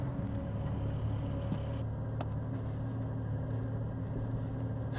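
Low, even road rumble over the bump with no knock or clunk from the rear; suspension sounds tight and quiet.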